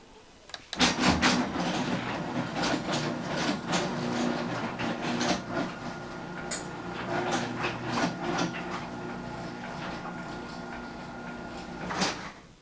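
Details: Garage door closing two years after installing a green hinge spring system and nylon rollers: even motor hum with light, spaced roller clicks as the door travels down, no grinding or banging; a quiet, healthy close.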